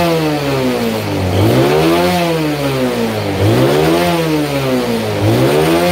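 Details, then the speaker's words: Yamaha Jupiter Z engine fully restored after a crash into a truck, new original bearings, battery not yet fitted: three clean rev swells rising and falling smoothly from a steady idle, no rattle or miss; normal revving. "ini suara mesinnya Bos kayak baru keluar dari dealer ini suaranya Bos adem Bos"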